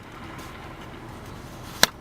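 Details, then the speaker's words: Cold engine, VW Passat coolant reservoir cap opened during used-car check: short sharp hiss of pressure release, showing the cooling system holds pressure as it should; normal. "when a coolant system is in good order you want to hear a pressure relief when you open it"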